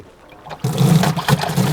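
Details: Bass Tracker Pro Team 175 TXW livewell fill pump switched on: steady low hum with water rushing into the well; pump running normally.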